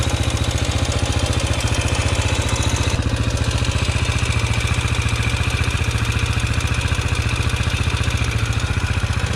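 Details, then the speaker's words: Yamaha TTR125 big-bored to 150cc, hard-starting and dumping fuel: the single thumps hard and lumpy, about three beats a second, with mechanical clatter; owner suspects crank bearings or a loose valve lash, unconfirmed. "uh oh that sounds rough well the bike's running but unsure what that noise is crank bearings maybe"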